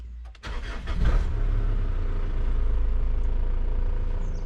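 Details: Overland 4x4 diesel after a full service, fuel filter change and bleeding at the primer housing: short crank, then it catches quickly and settles into a steady, even low rumble with no stumbling or misses.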